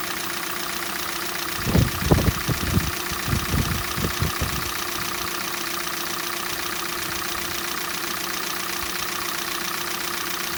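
Over a steady cold idle, loose irregular knocks come in a cluster for a few seconds, then settle; a cold-engine knock.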